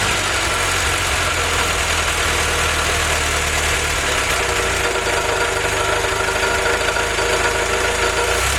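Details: Willys F-head four-cylinder (snow blower jeep engine), first run on newly installed Weber carb replacing troublesome Carter YF, 180 thermostat: smooth steady idle, even low thrum, no misfire or knock; normal idle.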